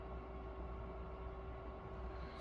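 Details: Creality Ender 3 V3 SE 3D printer hot end fan kicking on as the nozzle heats toward 200°C: thin steady mid-pitched hum with a faint uneven edge. The fan is failing, and Creality's 40x40x10 mm replacement doesn't fit.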